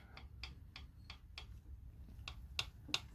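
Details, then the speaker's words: Chevy 350 Vortec small-block during rebuild, engine reportedly developed slight knock: light, sharp clacks about three a second as number 3 connecting rod is rocked by hand; rod bearing play, all rods being replaced, torqued 45 ft-lb. "But the number 3, I don't know if y'all heard that, but number 3, it got a little play in it right here."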